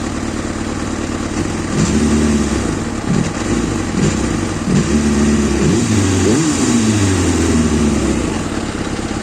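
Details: Kawasaki ZXR400 L9 motorcycle: rough, uneven idle; on throttle blips the revs rise sluggishly with delayed response, hang around 2,000 rpm and then settle.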